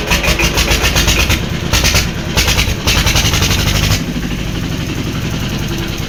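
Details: Old diesel engine (Deggi) after a plug change. Rough, uneven chuffing and stumbling for about four seconds before it settles into a steadier low run: a hard start, catching only after several attempts.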